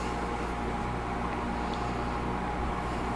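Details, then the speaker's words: 1980s Sanyo Turbine rotator box fan, motor oiled after cleaning, switch repaired, on low speed: soft, even hum with a faint steady tone, no rattles or scraping; runs quietly and smoothly. "But I gave it oil. So uh here's low. It is quite powerful."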